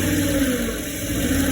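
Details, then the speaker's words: 2008 Ford E-series 5.4 V8 held at a light rev: lumpy, uneven running with misfire on bank 2 (cylinders 5–8); spark, injector flow and added fuel ruled out, bank 2 camshaft off time suspected. "this means from my own interpretation that the left side of the engine 5 6 78 is not working properly so it's misfires the right side is okay the left side all Mis fires okay I step it up a little bit"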